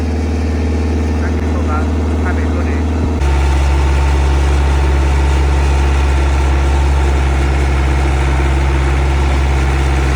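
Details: Steady low diesel clatter at idle, even beat with no stumbles or hunting, a touch louder midway, on a CAT 307SSR mini excavator's Mitsubishi engine after injection pump installation fixed a no-start; healthy idle.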